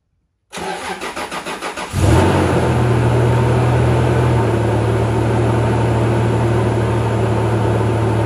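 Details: Toyota Tacoma after fan clutch fix, some belt squeak noticed while tightening: about 1.5 seconds of cranking, then catches and settles into a steady, even idle with no squeal.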